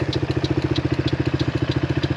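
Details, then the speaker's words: HammerHead 250cc go-kart idling: an even, steady putter of about a dozen beats a second with no misses, knocks or hunting; it runs well and not rough, though the owner still plans a clean. "the engine actually seems like it's running pretty darn well i have to say it doesn't seem too rough"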